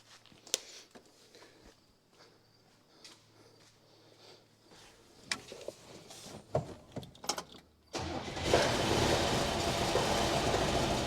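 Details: 1966 Buick Special small V8 that sat for years in a backyard, first start attempt with coil hooked up: slow cranking with sputtering catches, then fires up loud on poured fuel, running only on the prime.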